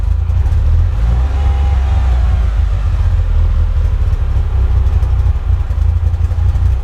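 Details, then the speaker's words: Mitsubishi Evo first real startup, idle about 900 RPM, oil temp 54, water temp 70, no ticks, knocks or check engine lights; small throttle blip and revs settle straight back to even idle: normal rev return. "Returns back okay."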